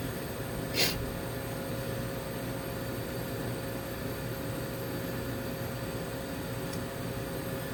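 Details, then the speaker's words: Gweikecloud laser cutter with noisy internal back fan removed, air assist and AC Infinity inline fan running: low steady hum with faint fan tone, no rattles or surges; very quiet, normal operation. "For fun, let's get this air quality meter up and running too. It's very quiet."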